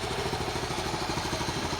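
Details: 1974 Honda C50, first start after about five months sitting, very cold engine: quick, even single-cylinder putter with slight tappety clatter, idling steadily and cleanly after starting.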